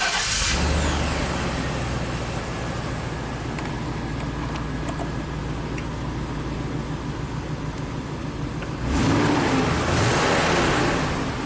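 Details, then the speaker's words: 1998 Chevy K2500 V8 after new intake manifold gaskets, distributor rotated to correct cam retard and codes cleared: clean start, even steady idle, clean rev, runs smooth. A P1345 cam correlation code still sets afterward. "Sounds pretty healthy."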